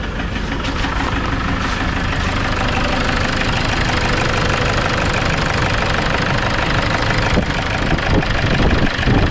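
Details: Toyota Innova D4D diesel idling with a loud, rough knocking clatter about three knocks a second; codes P0106 manifold absolute pressure circuit and P0069 MAP/barometric pressure correlation.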